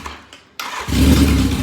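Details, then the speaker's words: 1981 Yamaha XJ650 bobber, unrun since last weekend, still a little cold, no choke used: quick crank, clean catch, firm even idle without stumbling; normal cold start. "It would start every time. See? It's that easy. She's still a little cold, but I didn't choke it at all."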